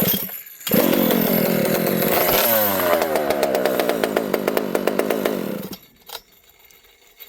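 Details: Rebuilt Partner P42 two-stroke chainsaw on the bench, restart test: catches, revs and settles into a crisp even run, shuts off cleanly; running right, owner notes very open pipe spits fuel, 22° blowdown.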